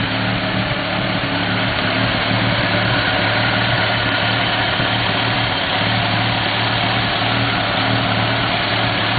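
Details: 1991 Mazda RX-7 S5 NA, street port, headers, possibly Racing Beat cat-back: lumpy uneven rotary idle with irregular exhaust pops and crackles (afterburn); owner doubts a vacuum leak, cause unknown; exhaust popping at idle.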